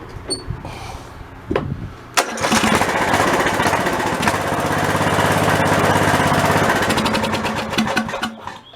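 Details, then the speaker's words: White LT1300 lawn tractor with old OHV Briggs engine after a failure while mowing: a couple of cranking tries, then it runs rough and loud. The rattle is from loose baffles in a worn-out muffler. Rattling on start-up. "I guess probably you can hear a bunch of rattling noise here in the video, but the old muffler's pretty well spent on that thing. I'm not sure what I'm going to do with it. The baffles are all loose inside the muffler."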